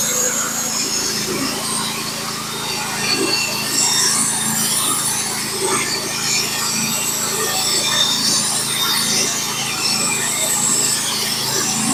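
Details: Norwood HD36v2 bandsaw mill with a Stellicut band, cutting 1x6 fence boards: twelve seconds of smooth, constant rasping as the blade feeds through the cant, with no surging or bogging; the mill is cutting cleanly.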